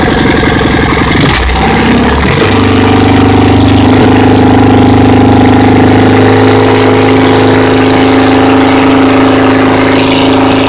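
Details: Dnepr boxer twin first start after overhaul (Almot pistons 79.00 mm, reworked heads with bronze guides, new 10-36 camshaft, 3.2 kg lightened flywheel, new Corteco seals): catches after a couple of cranks and settles into an even healthy idle, no knocks.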